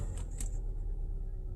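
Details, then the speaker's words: 2016 Kia Sorento 2.4, oil-consuming, code P0304, engine oil 106° at start: rough, uneven, stumbling idle, hard misfire on cylinder 4, confirmed by disabling injectors; a fouled spark plug was found. "yeah it's Miss hard I can feel it number four it is"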